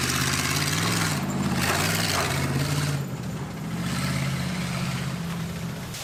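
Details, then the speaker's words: Homebuilt vintage junker rally car under load during a rally run, with voices nearby. An uneven, lumpy engine note with a slightly irregular beat: running a little rough. Flooding suspected, unconfirmed; it ran significantly better on the second attempt. "A little rough, a little rough. I think we might have to do multiple runs."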